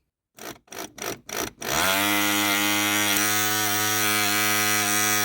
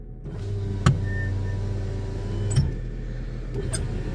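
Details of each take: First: VAZ power window motor before it failed: short buzzes, then a loud, raspy, high-pitched whine for about five seconds; the armature's copper winding was found coming apart. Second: VAZ power window, tested on the right door with the engine running: the motor runs smoothly over a steady idle with a clean thump at the stop; speed is unchanged and it works well.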